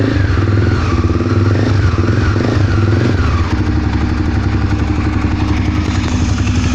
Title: Twister barulho no motor!!